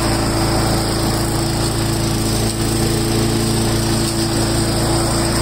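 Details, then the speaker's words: Craftsman 4-in-1 mulcher started on full choke after a drive belt replacement: the small single-cylinder engine gives an even, steady buzz with no misses, knocks or surging. Normal running. "we're gonna start it up see if it works okay I'm going to try it for it full choke"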